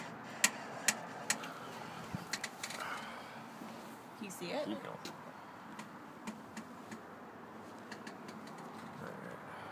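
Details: 2010 Jeep Wrangler JK Unlimited, engine off, after a couple of hours of town driving. Pushing the clutch pedal in and letting it out gives sharp clicks and a brief creaking squeak.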